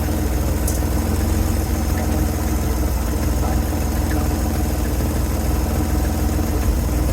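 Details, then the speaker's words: 1970 Chevrolet C-10 junkyard truck, warmed engine idling: deep, uneven loping, stumbling idle; no oil pressure reading, wood wedged at the engine mount, debris burning off; runs rough, not worth more money, cause unknown, 400 or LS swap considered. "it doesn't run well and I don't think we're going to throw more money into this thing uh to get it to that point"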